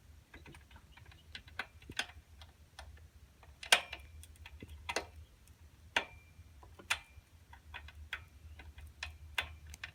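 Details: Schwinn Meridian tricycle with primary (front) chain factory-set too tight: sharp uneven clicks and light clunks with each pedal stroke over a quiet hum; overtightened chain.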